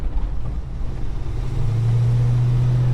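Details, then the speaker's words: Holden HK V8 on the road after fitting a second-hand exhaust manifold gasket: deep even drone building smoothly under throttle with no puffing or ticking from the manifold; much quieter and healthy. "Oh, she sounds like a V8 now. Sounds beautiful."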